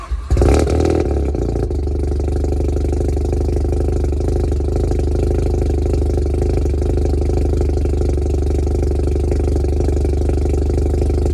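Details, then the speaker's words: Modified Mazda RX7, believed 1993, cold start: engine catches and settles to a low, deep, steady drone with heavy rumble; idle is low and the exhaust sounds bad, due for replacement. "so as you can hear the idle's kind of low and the exhaust itself actually sounds like ass so we're going to get that replaced ASAP"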